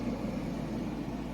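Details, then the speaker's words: Midea HC-689WEN side-by-side refrigerator-freezer, new, heard with the door open: the interior fan runs and blows air through the compartment, a soft steady airy hum with a low drone and no ticking or rubbing, normal. "You can hear the fan and it's blowing through here,"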